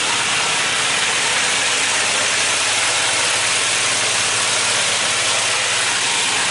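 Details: Classic Mini 1293 race engine idling on choke while warming up after new valve springs, lapped valves and cylinder head fitting: harsh, hissy, even roar, steady with no knocks or misses.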